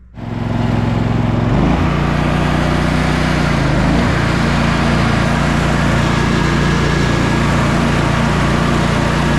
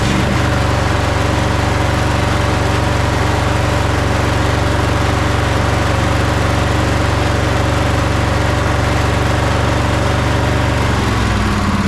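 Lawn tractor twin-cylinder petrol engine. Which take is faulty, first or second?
second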